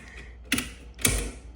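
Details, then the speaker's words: Central AC outdoor unit circuit breaker, outdoor unit disconnected from the circuit: two sharp snapping clacks about half a second apart as the breaker latches and trips straight back out on reset; instant trip. "but the breaker still instantly trips."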